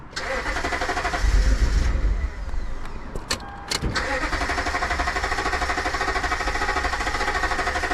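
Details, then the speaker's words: 2012 Toyota Tundra crank no-start with the fuel gauge full; it earlier started briefly and stalled: the starter spins the engine at an even, steady rhythm but it never fires, with no fuel pressure at the gauge; no fuel reaching the engine. "All right. So, there's no fuel coming here."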